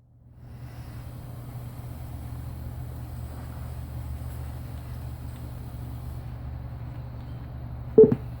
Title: Computer highlights on it's own. Makes loud noise